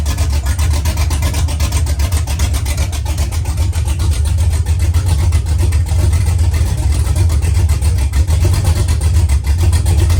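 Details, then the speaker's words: Same truck after DOD deleted from the tune (mechanical DOD delete already fitted), exhaust not yet installed: deep loud idle with lumpy uneven "baby chop" about two to three beats a second, all cylinders firing; idle with cam chop. "It has a baby chop chop."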